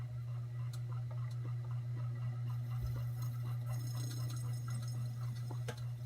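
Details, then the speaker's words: Ceiling fan on low, with a known bad capacitor still awaiting replacement: loud steady low electrical hum and faint rhythmic ticking; it won't self-start until spun by hand, and high speed runs slow and sluggish. "you can hear it humming when I spin it this way and I give it a kick start watch it get going this is one of symptoms of a bad capacitor is"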